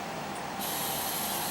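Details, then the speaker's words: MTX Thunder car amplifier after cleaning and reinstalling the heatsink, at first power-on: a steady hiss jumps up with a thin high whine on it; background noise in the output, cause not yet found. "can hear some background noise until I know what the hell is going on"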